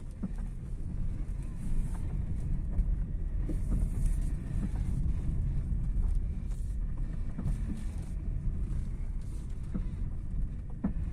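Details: Toyota Carina driving: sporadic dull knocks through steady road rumble over bumps from the front suspension, persisting after replacing struts, sway bar links, subframe bushings and tie rod ends; source unknown. Front suspension knock.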